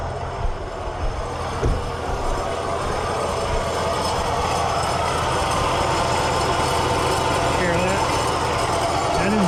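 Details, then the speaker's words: Third-gen tow vehicle at idle: worn A/C compressor makes a loud, rough roar with uneven rattle on top, worse with heat on, something visibly loose flopping inside. "It makes this really weird, like roaring. And like you can see something like loose down in there, like flopping around."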